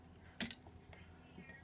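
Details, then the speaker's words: Bathroom wall light switch in an older house, a replacement taken from the junk box after the old one shorted and blinked. It is toggled on and off twice; each click is short, slightly doubled and not crisp, but the switch works. "I don't have a good click. It works. We turn it on and turn it off."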